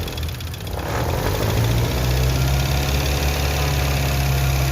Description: compresor desgastado emite sonido orrible@waldomirandaserrano6463